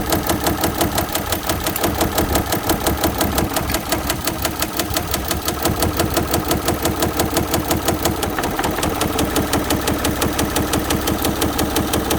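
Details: Audi engine at idle with a steady, deep knock about three times a second, typical of rod knock; suspected rod knock, not confirmed.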